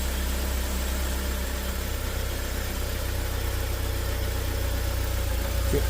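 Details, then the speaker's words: 2017 Joylong Chinese van/bus (also called 2015), cold in open loop, idle uneven and lumpy with a wavering beat, nearly stalling; complaint of rough running, stalling and power loss after an ECU swap elsewhere didn't help; dirty throttle body and MAP sensor. "so I'm still in open loop right now it's running real [Music] rough oh and stalling out"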